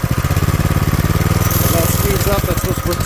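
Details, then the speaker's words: Old scooter with a centrifugal clutch, cover off and fuel shut off; small revs with a fast popping beat, then a rough growl as the clutch drags; the engine dies under clutch tension, and the owner suspects it lacks power to engage. "tension on that and then it dies CU it chokes out and doesn't have the power to engage it but then this is growling and making all sorts of horrible noise"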